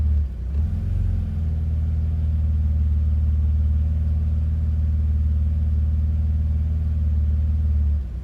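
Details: BMW Z3 with a cold engine: heavy, low idle rumble that wavers and shakes unevenly instead of holding smooth; rough idle when cold, cause unknown.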